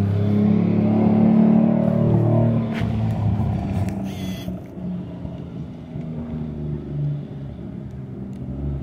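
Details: Nissan 240 (S14) street car with 1JZ engine, mass airflow sensor given a borrowed 5-volt reference after a MAF code, on a test drive: strong pull under boost fades and stutters, power dropping out unevenly; still breaking up under boost, cause unconfirmed.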